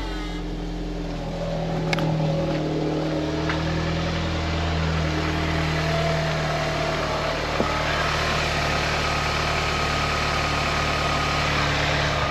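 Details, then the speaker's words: Audi TT with EA888 Gen 3 engine after water pump and thermostat replacement and coolant refill, idling warm at 90°C with no leaks while air bleeds out: a steady, even idle with a faint fan whoosh and no knocks or surges, a normal idle. "just going to let it run so we're going have to let this in so what I'm doing now just letting the car run basically just seeing if it overheats making sure all the airs out the system"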